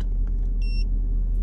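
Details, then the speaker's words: Mercedes-Benz CLS 550 AMG bought from Copart, recorded from inside the car: heavy, even low idle rumble with no knock or tick, louder than expected; no scanner codes, cause unknown. "the motor just sound really loud to me from inside the car maybe I can put it down here and let y'all hear it"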